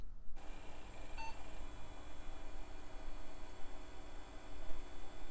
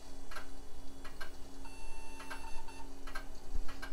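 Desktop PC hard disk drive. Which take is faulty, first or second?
second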